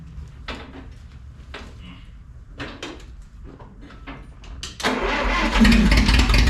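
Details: Neglected forklift started after sitting, hydraulic oil just topped up. Irregular cranking puffs, then the engine catches and revs keep climbing on their own. Surging idle; owner says the throttle needs a return spring and fixes it by tightening a spring.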